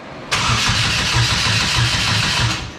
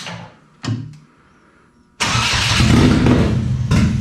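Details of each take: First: Exomotive Exocet with swapped GM Ecotec engine, first start attempt: starter spins the engine at a steady pulsing beat about two seconds, never fires; suspected fuel pump wire fault; crank no start. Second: GM Ecotec-swapped Exomotive Exocet autocross car, first start: a brief crank, a pause, then the engine catches and settles into a steady idle; it starts and runs normally.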